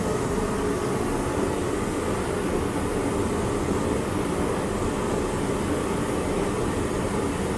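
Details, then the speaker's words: Torpedo heater after repair, plugged in and fired: even, steady roar with no sputter, surging or rattle; running healthy. "she did fire she is on sounds healthy see how long she lasts"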